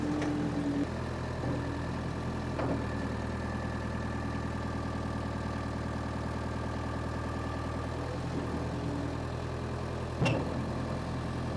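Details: Power Trac 1850 diesel tractor after fluid changes, mower attached: steady low diesel drone at even pitch, no knocks or misses, a couple of mower clanks; normal running under load.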